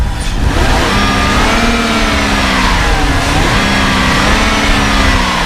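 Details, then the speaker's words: 2000 BMW 323i wagon, 5-speed, 89K, inline six, started and revved a little before the AC test; smooth tone climbs and falls twice with throttle blips, no knock or miss; runs good. "You can hear it runs good. Rev it up a little"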